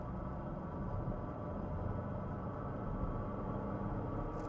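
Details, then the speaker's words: 2014 Porsche Cayenne, auction red-lane purchase, on road pulling away: low drone with faint steady whine over road rumble under acceleration, different tone on deceleration, fades when load is off; drivetrain noise, source not pinned down. "like something's grinding. It's not gr It's not a grinding noise. It's actually like a uh ghostly sound."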